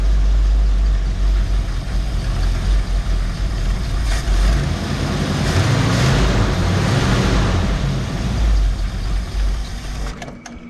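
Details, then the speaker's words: 1969 Mercury Cougar H-code 351 V8, automatic, dual glasspack exhaust, after sitting in a warehouse; loud lumpy idle with uneven stumbling beat, seemingly running on about seven cylinders; cause not confirmed; engine misfire. "the bat i think this thing's running on about seven cylinders right off the bat"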